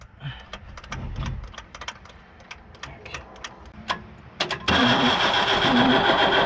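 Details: 1975 Chevy squarebody stepside, Isuzu 6BB1 six-cylinder diesel, feed pump reinstalled and primed, fuel reaching filter and injection pump: scattered clicks then steady churning crank that never catches or speeds up; cranks but won't fire, check valves uncertain.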